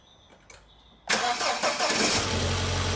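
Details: 2004 Audi A4 Avant 1.8T automatic after cam cover gasket and spark plug replacement: a quiet second, then it cranks, catches at once and settles into a smooth, steady idle; running okay, with slight smoke from spilled oil.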